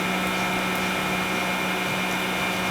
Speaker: That's slow close right now. Now you can hear the tonnage building up.